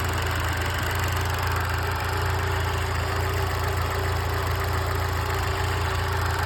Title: Что за стук в моторе?